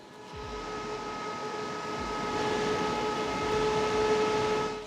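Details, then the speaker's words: EcoFlow Delta 2 Max power station with the mic held just off the intake vent. A constant high-pitched cooling-fan whine sits over a soft airflow hiss. "Can you hear that whining sound coming out of the EcoFlow? I sure can."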